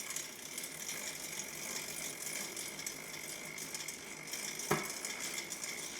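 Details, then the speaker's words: Mountain bike drivetrain just washed, not degreased, before lubing: dry gritty fast ticking creak over the whole pedal stroke, chain needs lube. "As you can hear, that drivetrain is pretty Pretty creaky and loud right now."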